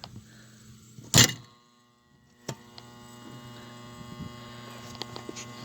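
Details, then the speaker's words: Hardy H2 damper fan blower motor calling for heat: loud clunk as electromagnet snaps damper lid open, then only steady electrical hum, blades not turning; bearing previously squealed dry; seized blower motor humming without turning. "show you what i'm talking about see it that turned on but the fan blades in there are not turning"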